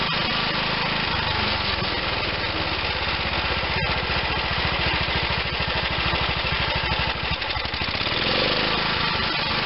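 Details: Bolens Husky G10 1055 garden tractor's Tecumseh HH100 single-cylinder engine, repaired and reinstalled, fires evenly and rapidly at steady revs with no knocks or misses: normal running.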